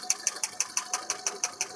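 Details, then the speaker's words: 2015 Hyundai i10 1.1 that misfired on cylinders 2 and 3 due to a faulty ECM: sharp, regular snaps about six per second with none skipped. The spark is strong and steady. "यहां पे अभी miss fire हो रहा है मतलब ये current आ रहा है साथ आप न आवाज भी सुन सकते क कक कटक कक"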